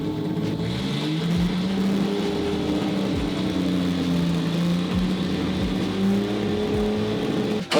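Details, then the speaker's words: 1966 Mercedes 220S inline six, laid up 25 years, just started after drying spark plugs and connectors: strong even running, revs gently wandering, no knocks or misses; healthy engine. "O sea, jamás podría decir que este coche suene así sin haberlo oído antes."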